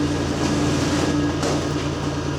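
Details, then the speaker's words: 2007 Chevy Impala after DIY muffler replacement, 2 1/4 inch pipe, new muffler clamped on with an adapter: smooth steady low exhaust drone at idle, no rasp, puffing or ticking; exhaust sealed and sounds good as new. "Let's start it up and see how it sounds. Good as new."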